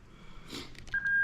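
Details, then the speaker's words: Lexus IS200 reverse beeper tested by bridging the reverse connector on a new LS400 96-97 non-VVTi plug-and-play harness (J160 6-speed manual); after fumbling, a clean steady high-pitched tone holds, beeper working. "okay so as soon as i do and there's the annoying is 200 reverse beeper sorry get that in there properly"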